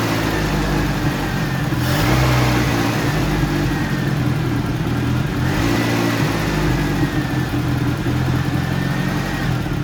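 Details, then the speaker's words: 1985 Mitsubishi Pajero with its original carburetor, idling rough and possibly misfiring: uneven, lumpy idle surging and sagging every few seconds with irregular stumbles; fixed by a Weber carb conversion. "Today we are going to focus on the engine idle issue we're having. So, it's running a bit like rough and possibly misfiring."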